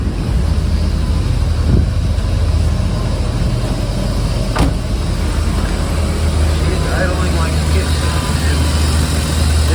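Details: 1995 BMW 540i E34 V8 at warm temperature after new seals, spark plugs, valve covers, gaskets, valley pan and intake manifold: deep, steady idle with an even beat and no misses, knocks or hunting. Sounds healthy and settled.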